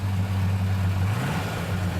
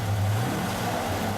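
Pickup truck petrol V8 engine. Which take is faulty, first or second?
second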